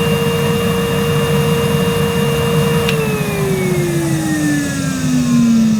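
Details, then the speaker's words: Numatic Henry 1200 W vacuum made 2006, never used, on suction gauge test low then high power: steady whine sinking smoothly in pitch as suction loads it, no rattle or grinding; peaked ~64 low, 102 high; normal running. "well that was interesting on low power henry peaked at around 64 on my gauge and on high power 102 so it's definitely got more suction power than a henry you can buy today"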